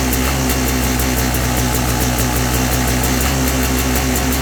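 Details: 2017 XT two-stroke, jetting 38/162/NECW3, at 150 ft elevation and about 60°F: held at steady throttle it stumbles regularly three or four times a second; misfire or stutter with surging and sometimes a faint cylinder knock when riding.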